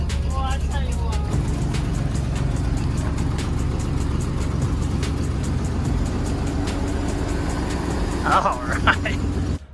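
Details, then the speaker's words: 1955 Ford F100 lifted 4x4 that sat outside in rain for at least a month: fires on the first turn and settles into a steady, low, even rumble with no misses; normal first-crank start. "literally the first turn just fires right up which is awesome"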